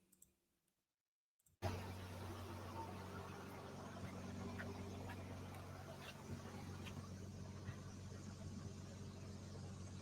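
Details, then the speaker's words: Nissan R35 GT-R at idle: a steady low hum with a faint, irregular light rattle, the common GT-R bellhousing rattle. "That noise you were asking about, that's that's common."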